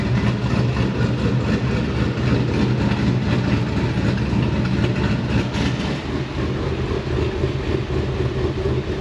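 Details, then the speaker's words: GQ Patrol with LS V8 swap and 6L80e transmission: lumpy V8 idle with constant raspy puffing at the pipes, like a small exhaust leak, because the exhaust cutout's butterflies don't completely shut. "And that's why it sort of sounds like there is a little bit of an exhaust leak all the time. It's just because the butterflies on the cutout don't completely shut."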